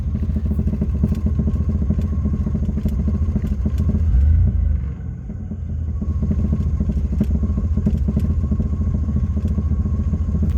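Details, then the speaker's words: 1978 Pontiac Sunbird Formula running after 10 years parked, engine sounds like it has a big cam. Deep uneven loping idle with a loose knocking pulse about three a second; the knock is the exhaust, not the engine. "sounds like a motor with a big cam the knocking is just the exhaust just clock that's not working maybe we'll take that apart someday"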